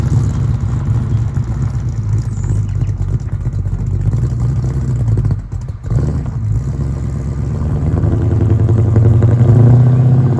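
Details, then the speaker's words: Holden LX Torana V8; deep, loud, uneven rumble swelling with revs and a harsh raspy "HQ bark" from dual tail pipes lacking a balance or X-pipe; tacho, likely from a six-cylinder, reads wrong. "these tail pipes down here uh they got to go and it's got that horrible HQ bark and I don't know about you but that sound is disgusting"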